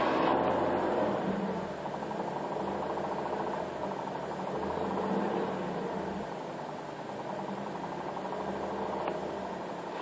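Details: 2009 Infiniti G37 manual idling with a light, fast metallic rattle that appears only when the clutch pedal is down, as the clutch is pressed and released, also at 2,000 rpm; dealers claim it is normal.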